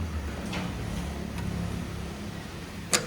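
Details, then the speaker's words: Toyota Etios alternator pulley one-way clutch, turned by hand: a few sharp, uneven clicks as the clutch slips instead of gripping its teeth, an intermittent fault causing engine-side noise; fix is replacing the alternator pulley. "ഈ സൗണ്ടാണ് വരുന്നത്. ഉണ്ടോ സ്ലിപ്പാവുകയാണ്, അത് കറക്റ്റായിട്ട് teeth പിടിക്കുന്നില്ല."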